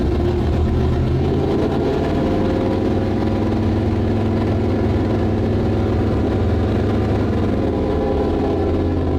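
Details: Starboard 350 Chev small block V8 in a twin-engine tank, port engine shut off: steady drone with a lumpy, uneven beat that never smooths out; rough running, throttle synchronization suspected out a bit, judged good enough to run.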